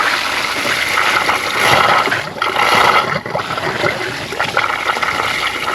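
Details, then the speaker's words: Ram 2500 with low cabin heat: a water hose is held on the disconnected heater core inlet hose to flush the core. Irregular gushing and sputtering water with sudden surges. A blowout occurred as if the core was plugged or had a large air gap. "Sound like it's going into the bucket down below. Oh, what was that? I think it just popped up on top of that. Something's happening."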